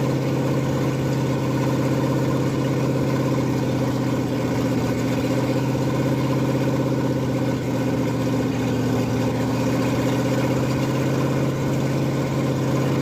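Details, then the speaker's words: Ford F100 302 V8 with Comp 268H cam at raised break-in idle, open exhaust, about 80-degree day, holding temp and charging: steady, even deep burble, no ticks or knocks; normal running, though oil looks slightly milky. "Change it, and hopefully it's good, but it sounds fucking fantastic."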